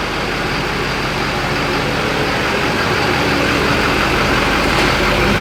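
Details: Tuned diesel truck with stock transmission at idle: even clatter and steady rumble, no knocks, misses or hiss; no leaks found, sounds healthy and settled.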